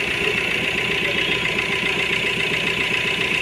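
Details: Fiat Punto diesel after the water pump was replaced to cure a rattle from the timing side: steady idle with an even clatter, about 220 beats a minute, and no front rattle; runs smooth, normal idle.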